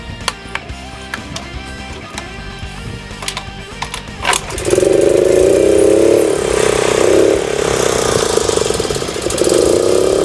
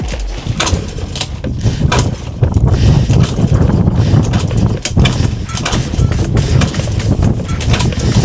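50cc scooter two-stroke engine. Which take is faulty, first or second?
second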